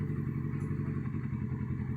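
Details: Kawasaki Z650 that cranked but wouldn't start, after replacing the blown FI fuse that feeds the fuel pump: it starts and settles into a steady, low, even idle with no knocks or rattles.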